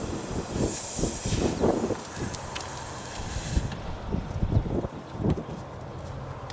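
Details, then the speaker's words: Tire puncture: steady sharp hiss of escaping air continues after a first plug attempt, then stops once the hole is reamed and plugged with a tire repair kit. "well it didn't take I could still hear it hissing right there see stopped but it's still going to try it a second time"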